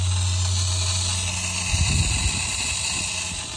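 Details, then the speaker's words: Sprinkler zone of about 22 heads barely popping up, on a home over 15 years old: loud, steady rushing hiss with a low hum from the valve box; failing pressure regulator restricting flow, to be replaced. "Now, one way you can tell if a regulator is going bad is it usually makes a lot of noise."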